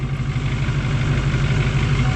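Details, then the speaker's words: Pickup truck idling after a no-start was fixed with a new starter. Steady low rumble with an even idle beat and no knocks or grinding. A normal idle, the truck sounds much better. "you finally got that out of the Jeep now you can party that's a one oh yeah I sounds so much better"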